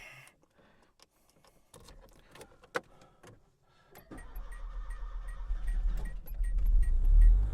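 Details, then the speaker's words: 1986 Peugeot 505 Turbo, N9T engine, started after sitting just over a month: clicks, then it catches after a brief stumble and settles into a steady, even idle. Healthy start; owner notes a ground problem that may explain cold-weather starting trouble. "There it goes. It's been just over a month since it last was last started, so it just hesitated a little bit, but it's fine and it ticks over beautifully."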